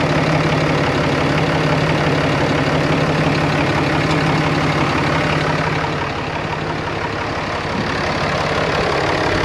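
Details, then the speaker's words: 2013 Ram 2500 6.7L Cummins diesel after replacing the failed turbo (bad VGT actuator) with a BD Screamer HE300VG turbo and new exhaust manifold: first start, steady even idle clatter, no whistles, hisses or leaks, no boost yet; sounds normal. "Yeah, will you give me a couple perhaps? Sounds pretty normal. No boost occurring yet."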